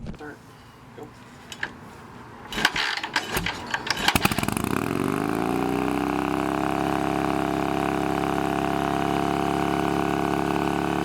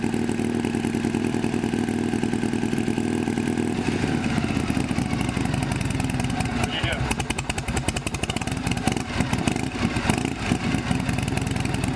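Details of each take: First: Harley Shovelhead chopper on a new S&S-style knockoff carb with a new fuel filter. After rough catches the V-twin climbs to a steady high drone, about 3000 rpm even with the idle screw fully out: high idle. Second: Shovelhead V-twin chopper with new S&S knockoff carburetor, after throttle cable fix: loping idle with even beat and some valve clatter on top; idles properly but smokes heavily.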